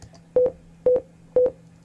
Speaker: beeps are telling me that my audio needs rendered